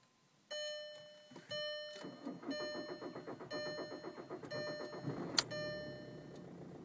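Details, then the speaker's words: 2004 Jetta TDI PD diesel cold start after sitting about 6 hours in upper-40s weather: key-on chimes then about three and a half seconds of cranking before it catches; excessive cranking, worse since crank sensor replaced, owner suspects wiring harness. "see that's just excessive cranking to me there I uh replaced the crank sensor and actually seems to be getting worse"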